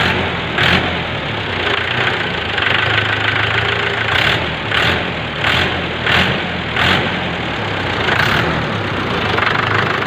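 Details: Mahindra tractor diesel idling just after fuel injection pump spill-cut (drop) timing was matched: steady clatter with an even beat, no misses or heavy knocks; engine running correctly after timing set.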